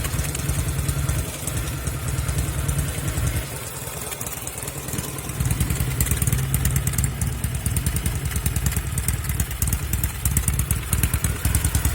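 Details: 1974 Norton Commando 850 twin fitted with un-muted silencers and a tighter header clamp seal: lumpy idle with occasional skipped or stumbling beats. Intermittent misfire heard from the left side, which also shows obvious smoke.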